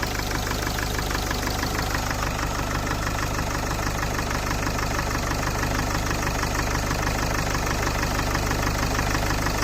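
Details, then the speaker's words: Citroën C8 2.0 HDi diesel, first start after oil change with hydraulic lifter treatment: steady idle with quick fairly even clatter about three per second; owner suspects hydraulic lifters or rocker, still ticking, unconfirmed. "Ah, ça claque plus. Ça fait un gros bruit de claquement, mais bon, il n'y avait plus d'huile, plus nettoyant d'huile."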